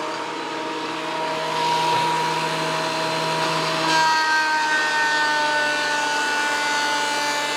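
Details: WEN PL1326 15-amp 13-inch spiral benchtop thickness planer, after repair of misuse damage (replacement knives and bevel gear set used): smooth motor hum dipping slightly as a wider board feeds through, even cutting without chatter or grinding; normal operation, board within 0.002 in thickness.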